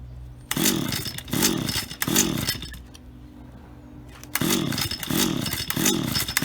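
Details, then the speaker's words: Auction-bought Stihl HT75 pole saw two-stroke, head cleaned, test run: sharp revs climbing and falling in even bursts, settling to idle and picking up cleanly; works perfectly, normal. "so there we have it ht75s from an auction and they work perfectly and they're even sharp so uh a win-win i think"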